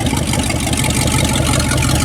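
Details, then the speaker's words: 1967 Dodge Dart that sat over five years, first run. Loud, raw, deep exhaust rumble from open headers with a steady idle and no misfire; running fine. "running now got it a Roger sounds nasty that's what it sounds like with open heads she's running"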